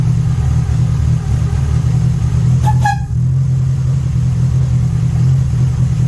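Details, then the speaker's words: MK1 VW Rabbit with a Weber 32/36 carburetor, after idle and choke screw adjustment: a low, fairly steady idle rumble with a brief clatter midway, a little better than before. The engine also leaks oil at the cam seal, crank seal and valve cover. "um just a lot of time a little better than before"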